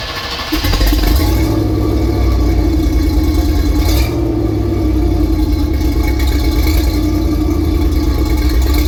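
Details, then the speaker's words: 1979 Chevy G20 van, first start after fresh oil and transmission fluid and a new Thrush chambered muffler replacing the old Thrush turbo; settles into a steady, even, deep idle with no exhaust leaks or ticks; healthy. "And I think they are one of the best sounding chambered mufflers out there."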